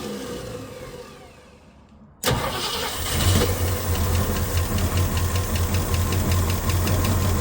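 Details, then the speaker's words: 1965 Ford Mustang 289 V8 barn find, parked 29 years, running on fuel primed in the carb, no coolant yet: quick crank and catch into a steady, even idle without misses or knock, runs like a top. "Uh, it actually runs like a top. It sounds pretty good."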